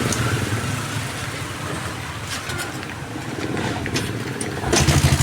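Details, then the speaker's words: Kawasaki Barako 175 after tune-up, with its old carburetor refitted and tuned, and a worn cam noted: starts on one kick and holds an even idle, with outdoor noise around; starts easily and sounds healthy. "Yun oh. One click lang oh. Isang sipa na lang ah."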